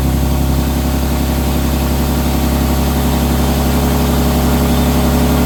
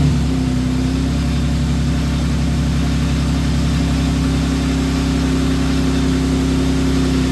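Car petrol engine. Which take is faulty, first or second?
first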